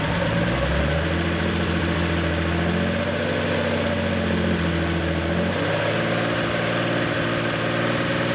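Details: Porsche 911 2.7 L flat-six, early S cams, twin plug, 46 mm PMO throttle bodies, Tec3 management, warming up with throttle linkage refitted while both banks are checked for balance: even, steady idle with a smooth low drone, no stumble or hunting; normal, balanced idle.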